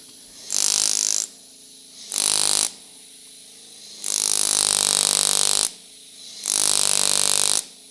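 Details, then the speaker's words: Vevor pneumatic jewelry engraver, speed control at half: short bursts of fast, high, even buzzing hammer strikes that start and stop cleanly, faster than at zero; normal mid-speed operation. "It does increase. Now if I go to one, it goes even faster."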